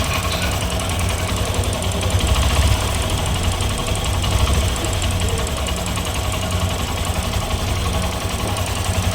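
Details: Honda SP Shine BS6 single-cylinder motorcycle at idle: rapid, uneven tapping roughly three or four a second over the exhaust beat; engine knock.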